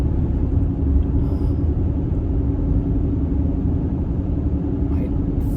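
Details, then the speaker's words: 2014 Mercedes-Benz GL350 (X166), about 93k miles, at road speed: a deep constant roar with a low hum underneath. Tire noise is suspected, and a wheel bearing is not ruled out. "And I immediately noticed on the test drive just a roar noise from the tires."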